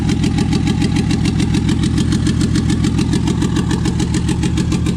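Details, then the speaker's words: Toyota 2JZ engine newly swapped into a 4Runner, first start at about 1900 rpm: steady lumpy chuff breaking the firing rhythm, about two cylinders down; misfire caused by injector adapter connectors not making full contact. "for sure got a mire it's down like two cylinders"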